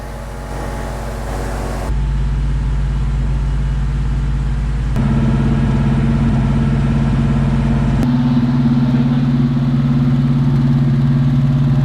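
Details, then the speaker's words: Fox Body Mustang V8, 4-barrel carburetor (not fuel injection), cold on the choke after a no-parts fix. Strong, even burble with a steady fast idle climbing slightly as it warms; owner says it never ran smoother. Normal fast idle. "Never ran so smooth. Yeah? Never ran smoother than it is. Even on the choke?"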